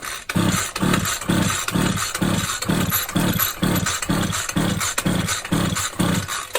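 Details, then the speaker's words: Champion 23C string trimmer found on the kerb, no visible choke: repeated pull-cord whirs, roughly two a second, with no firing or catch, because no fuel can reach the engine. Fuel dribbled in later lets it fire. "it'll never start because it can't get fuel in."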